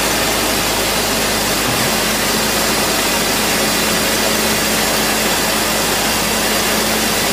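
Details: BMW E46 M54 engine after replacing belt tensioner and idler pulleys: steady, even idle hum with no ticking, squeal or belt chirp, running healthy.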